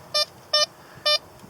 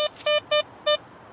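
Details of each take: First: Blisstool V3 metal detector, discriminator toggle on 1: four short high beeps about half a second apart, clipped brief signal that pinpoints poorly on the target. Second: Blisstool V3 metal detector, discriminator toggle on 3, ground balance manual: three short clean high beeps with crisp starts and stops; target pinpoints a little better, though aluminum is discriminated less.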